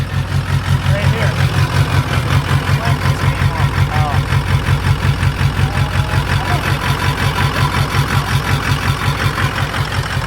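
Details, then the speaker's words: Stainless steel dump truck with a diesel, bought sight unseen, started right up after sitting about 4 years; the exhaust may be broken. It idles with a steady, lumpy, starved pulse as if about to quit, apparently running out of fuel with the tank empty. A bad fuel pump is also suspected. "here yeah it's running out of fuel hear it ah it's I think it's completely out of [Music] fuel"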